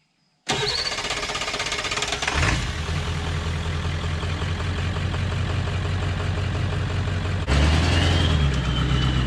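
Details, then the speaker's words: 2000 Ford F450 dump truck after replacing a missing rubber seal: cranks and fires right up, settles into an even idle, then a clean throttle blip; normal start and idle. "One of them on this side over here that feeds one bank or the other was completely gone. So I changed that and the thing fired right up."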